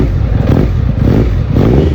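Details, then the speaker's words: Triumph Daytona 900 Super 3 triple with SP Engineering exhaust, warmed up: deep, even beat at a fairly low idle, no knocks or misses; idle is set low and it stalls when the throttle is released; normal warm idle. "lovely triple engine um lovely SP Engineering exhaust it sounds absolutely amazing makes me smile every time"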